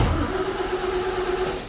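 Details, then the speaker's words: 1970 Toyota FJ40 after a full rewire, with a Davis Unified GM-style HEI distributor: the starter cranks evenly for about two seconds but the engine never catches. There is no spark in the start position only; the cause is a failed ignition switch. "nothing. It will not start. Turns out it's not getting spark."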